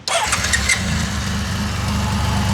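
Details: 99-mile 1981 Honda CBX1100 after full service, carbs professionally rebuilt after sitting 40 years: quick crank, catches at once, settles into smooth even multi-cylinder idle with no misfires; runs healthy.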